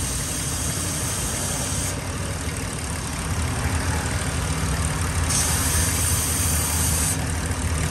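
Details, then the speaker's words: 2002 Ford Explorer, check engine light, P0171/P0174 both banks lean, running rough; steady idle with a sharp airy hiss swelling and fading from a cracked, deteriorated line, apparently purge valve to rear of intake, a vacuum leak. "yeah this Line's got a hole in it right here so I just pinched it closed because this thing is so deteriorated I can actually pinch it closed and it just stays closed"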